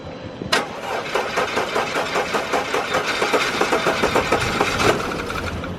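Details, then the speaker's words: Audi A4 B8 TSI, jump-started: it catches, then runs with an uneven, stumbling beat. It is still misfiring, with wet unburnt fuel and smoke coming out, blamed on a bad injector. "oh no still missing hella small you can smell the fuel yeah see it's wet fuel coming out too it's not being burnt all the way"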